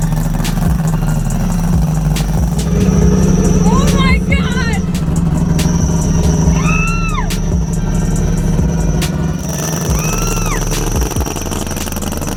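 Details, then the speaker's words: Three-rotor Mazda RX-7 FC drift car, first start after sitting with a new turbo fitted: deep, loud, lumpy burble holding fairly steady at idle under music and voices; started first try, normal idle, no obvious fault. "holy crap that's wild it sounds even crazier than before i can't believe like it just it turned on it turned on first try and it worked"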